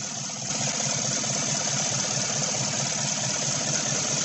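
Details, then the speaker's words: 2016 Chevy Silverado 1500 with 5.3 V8 and code P0300, idling with an uneven, irregular stumble and loping shake: still misfiring, engine visibly shaking, cylinder 7 misfiring. "she doesn't want to communicate anymore it is still missing you can see the engine shaking"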